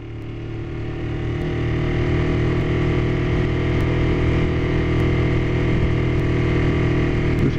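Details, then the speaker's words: Kawasaki Ninja 250R being inspected for sale, apparently dropped, just started on choke: coarse uneven twin-cylinder note with faint tick about every second; sounds sick and needs a tune-up, cause not found. "bike sounds sick. Like it's... Something's not jiving there."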